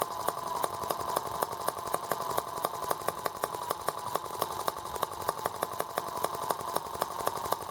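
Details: R18 model engine on first start with a replacement Hall sensor harness; ignition now works. Sharp, uneven ticks about four a second over a thin buzz, running rough and rocking hard. Imbalance cause unknown; owner wonders if an empty water reservoir matters.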